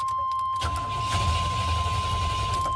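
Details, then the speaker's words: 1990 Chevy K1500 5.7 L carbureted: strong steady cranking under a constant chime but no start; it briefly ran on starting fluid sprayed into the carburetor then died, indicating a fuel-related crank no start. "all right and now it's back to crank no start so because it started up for a quick second and turned back off that proves to me that it's fuel related"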